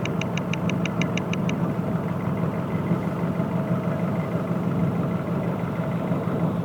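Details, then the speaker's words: Nissan Pathfinder/Navara diesel at idle, sensor moved to cylinder 3/4 with that cylinder cut via Consult; crisp ticking about five a second that fades, knock carried from a neighbouring cylinder's injector; idle knock in the head is injector control knock. "но зато вместе с вами мы убедились что стучат в дизельном двигателе в головке на холостом ходу именно форсуночная управлени форсункой тот самый стук"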